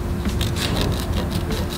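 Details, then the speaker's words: BMW with the wheel removed during a brake job: harsh metallic scraping pulses about five times a second as the rotor is turned by hand. Finding: brake grinding from pads worn to metal. "rotors are not supposed to do this oh my god this is crazy"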